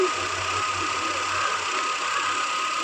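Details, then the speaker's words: Hyundai Santro petrol after replacing the cut dynamo (alternator) belt that had flattened the battery: steady, even idle with smooth low hum, no knocks or belt squeal; charging again and running normally. "வண்டி recharge ஆகுது எந்த ஒரு complaint இல்ல. வண்டி நல்லா ஓடிக்கிட்டு இருக்கு."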